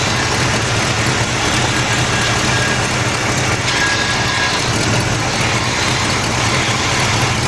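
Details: 1977 Buick LeSabre 350 V8 after steering gear box replacement, turning wheel to bleed fluid: steady even low idle under hiss and whoosh, no knock or power steering pump whine; normal idle.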